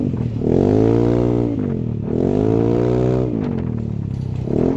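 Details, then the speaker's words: Yamaha NMAX new scooter after repair, on a test ride, revving cleanly twice and settling without stumbling. Hesitation and bogging are gone; running healthy. "Udah aman lah ya untuk berebet-berebet ngempos-ngempos sudah hilang"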